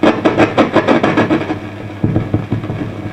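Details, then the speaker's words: Fender Pro Reverb valve guitar amp (possibly a reissue) with dirty controls and preamp valves already replaced: irregular pops and crackles over a low hum; suspected faulty resistor or capacitor, not valves; unconfirmed. "certainly crackling and splitting now i know what you're thinking valves but you'd be wrong in this instance because i have already gone through and swapped out all the preamp valves so it's not a valve related problem"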